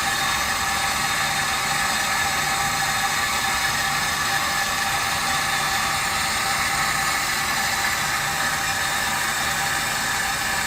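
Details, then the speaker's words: Meter Technology Works SM15 multi-jet water meter under flow: a steady hiss with a fine, even mechanical whir and no knocks. This is normal running noise, about 72 dB. "we're going to go to the meter technology works sm 15 multi-jet meter should be a little bit quieter it still has moving parts it's still going to make a little bit of noise"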